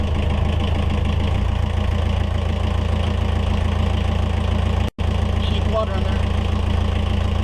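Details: Yanmar 4JH4E marine diesel in a sailboat, first run after 10+ years sitting since 2006: steady, even smooth low idle rumble, no knocks, misses or hunting; oil pressure good, running healthy.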